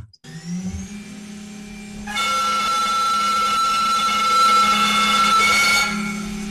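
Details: Two-fluted end mill at 15,400 rpm: loud, shrill chatter scream at about 2,800 Hz over the spindle hum, with forces near ±400 N and a terrible surface finish.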